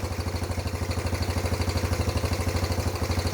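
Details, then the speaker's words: Freshly rebuilt, nearly 40-year-old Yamaha YFM80 Badger single-cylinder quad just after first start, idle turned up: steady even putter, no hunting, slightly smoky and burning off muffler paint; valves much quieter, runs well – normal idle. "a little Smokey like mine right not too bad though Run's good the valves are way quieter"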